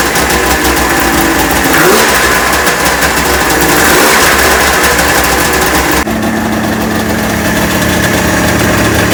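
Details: Neglected 1996 Ski-Doo Formula 3 600 triple two-stroke snowmobile, after carb cleaning, choke adjustment and carb sync, on choke; fires up and holds a crisp even buzz with steady throttle blips. Sounds healthy and well synced.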